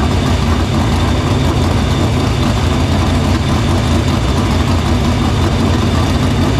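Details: Dirt Silver Crown race car fired in the shop after a fuel line repair, filter cleaning and fuel routed through the pump and main lines to the barrel valve. A steady, even low rumble with no misses, stumbles or knocks. Fuel system checks out: normal running.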